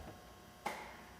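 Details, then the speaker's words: Main high-voltage contactor in an electric VW Thing conversion (lithium pack, Curtis 1231 controller) gives one crisp click as throttle is applied during first high-voltage test, then quiet; normal contactor engagement. "Let's give it a little throttle. Hear my main contactor."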